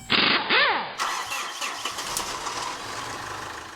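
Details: 2013 Mitsubishi Fuso FG (4P10) diesel: starter whirs briefly, engine catches cleanly and settles into a smooth, even idle.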